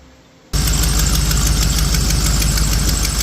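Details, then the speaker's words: 1987 GM 350 TBI 5.7L V8 in a 1982 Jeep CJ-7, just restarted after distributor reinstall with timing not yet set, idles with a quick light ticking over the rumble from a leaking exhaust manifold gasket. "And I got a uh I got an exhaust manifold gasket needs to be replaced on there. So, you can hear that clicking."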